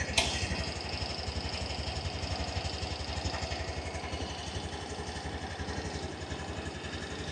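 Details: Yamaha Grand Filano Hybrid TOP ABS scooter with about 8,000 km, one owner: starts easily and quietly, then settles into a soft, even putter around four beats a second with no tapping; normal idle.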